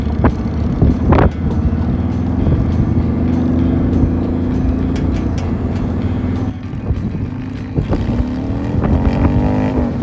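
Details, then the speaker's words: 2001 Honda Shadow VT750 after carburetor rework, airbox off: engine fires up and pulls cleanly through the revs, an even lumpy V-twin beat with no misses or pops; running right, some off-idle popping noted later. "So, we got the bike mostly put together. Say mostly because it's missing the airbox, but we're going to go ride it now that it should be running right."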